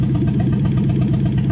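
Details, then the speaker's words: Toyota 1UZ-FE non-VVTi V8 swapped into a 240SX, running a new wiring loom with the stock ECU, idling after warm-up: rapid, fairly regular pulses with uneven, poppy beats; popping from a known engine valve problem that has not been fixed. "check the idle and if you do hear it popping if you watch my engine health video you'll understand that this engine's actually got a valve problem"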